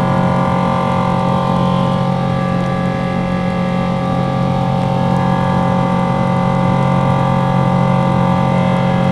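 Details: Boeing 777 engines shortly after takeoff, heard from the cabin: loud steady jet roar with strong low droning tones and a harsh, strained or grinding edge throughout climb-out, louder than usual; cause unknown.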